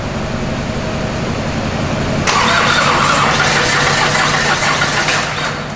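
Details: Wrecked Duramax diesel swapped into a K20 truck, start attempts: steady cranking then a louder rough surge that never settles into idle, with dark black smoke; cranks but won't start, starting fluid being fetched.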